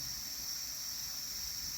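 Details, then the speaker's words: Generac 22K Guardian air-cooled standby generator on propane, with 1501 RPM sense loss stalls traced to the LP regulator: smooth, even high hiss with no surging, now consistent pressure, within the 11 inches water column spec. "Totally different. Consistent pressure."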